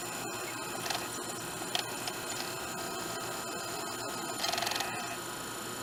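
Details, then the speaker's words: Sylvania DVD/VHS combo after a settings fix, with the microphone held close: light, quick ticks and whirring as the drive seeks and focuses, with none of the earlier popping. Normal disc focusing. "you can hear before this thing was if you didn't hear it on camera it was popping and ticking when it was trying to focus on the disc now it's pretty normal"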